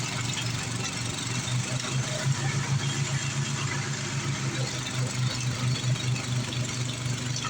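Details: Craftsman 826 track drive snowblower after auger belt replacement (31-inch belt), refuelled, throwing snow; steady throaty single-cylinder drone with even low pulse and constant churning; normal running under load.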